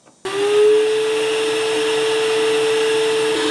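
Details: Shop vac forge blower on a Harbor Freight router speed control (item 43050), air hose seated into the stationary forge: switched on, motor spins up in a fraction of a second to a steady even whine; blower runs properly.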